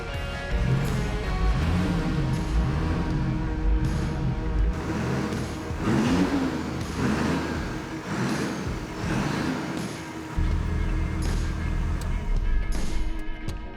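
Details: Land Cruiser 80 Series 1HD-FT diesel with used G-Turbo fitted, after a few minutes' warm-up idle: crisp throttle blips rising and settling cleanly to steady idle, no whistle or rattle; engine and turbo healthy.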